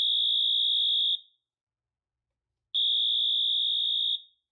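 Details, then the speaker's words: Notifier NFS-320C releasing panel, cross-zone demo with one detector in alarm: AMT sounds a high, steady horn tone in long pulses of about a second with equal gaps, slow march time; alarm-stage signal before pre-discharge. "When one detector alarms, the AMT will sound its horn tone in slow march time. Once 2 or more detectors alarm, then the panel enters pre-discharge mode. The AMT will sound its horn tone in fast march time, and the pre-discharge LED lights up on the main panel."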